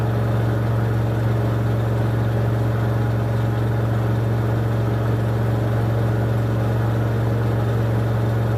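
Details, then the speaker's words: 2006 LG WM14225FD front-loader washer, 60C cotton cycle, final 1400 RPM spin with unbalanced load: loud steady low hum at full speed with faint rhythmic rumble; owner hears bearings going at 1400. Noise at full spin. "so there we go that wasn't too badly behaved final spin but I could definitely hear those bearings go in at the 1400 when it got to that speed"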